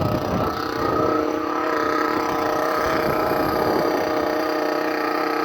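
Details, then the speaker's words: Thunder Tiger EB4 S2 nitro buggy with an aftermarket exhaust, just started in cold weather and warming up: very loud, high, buzzy steady drone with a sharp rasp and no misses. Even idle, possibly running slightly rich. "Anyway, so it's started, it's going to warm up, you can hear how it sounds, and I'm having to shout pretty loud at the moment because this car is extremely loud."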